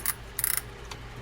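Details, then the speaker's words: Daiwa Lexa WM 300 baitcasting reel during reassembly after service, click mechanism just seated in the case: quick bursts of crisp, evenly spaced clicks as the spool turns; drag clicker working properly. "And now you can hear that clicker clicking."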